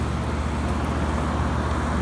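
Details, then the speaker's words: 5-ton packaged heat pump, probably used under six months, running in cooling mode with 66°F outside air and supply air stabilizing near 50°F; steady low rumble with even airy hiss, no knocks or squeals, normal cooling operation. "um right now it's running in cooling mode"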